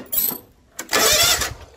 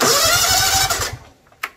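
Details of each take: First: Free non-running John Deere lawn mower, after plugging in a missing switch connector: short burst of quick even starter cranking turning the engine over straight away; normal cranking. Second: Free, non-running John Deere riding mower: about a second of quick starter cranking then cuts out dead; faulty mower deck PTO engagement switch only cranks in the right position, replacement needed.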